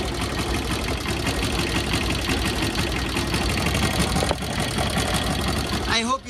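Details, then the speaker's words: Motorcycle (Pulsar) at steady idle: light, quick tick-tick-tick that keeps pace with the engine and rises with RPM. Owner suspects tappets, valve clearance out of adjustment; to be set to spec. "can hear the tick tick tick tick sound. This is from the tablet."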